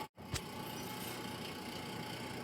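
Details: 1927 GE DR-2 monitor-top refrigerator, first plug-in after long storage: steady low drone with faint high hum and a click; it cools only slightly and the noise is abnormal. Float chamber cold; non-condensables suspected; dropping it quieted it briefly (suspected stuck loader).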